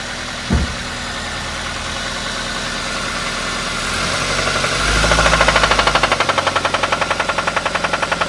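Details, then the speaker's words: Toyota Avanza engine, possibly damaged by oil sludge: steady heavy knock about three per second when revved; mechanic judges it unsafe to drive for fear the con rod breaks and cracks the block. "jalanan aja ini enggak berani buat jalan Pak kalau ini dibuat jalan takut saya nanti ee stangsernya patah itu ngenain blok mesin blok mesinnya pecah"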